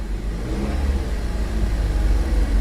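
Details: Cheap salvage-auction car that moves fine but may have a broken line underneath: a deep, even engine note rising smoothly under revs, no knocks, ticks or misses. Normal engine running.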